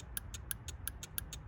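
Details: 1991 Mercedes W126 350SDL: power applied to pin 7 of the cruise control circuit makes the yellow relay click in; crisp, evenly spaced ticks about six per second over a low hum, normal.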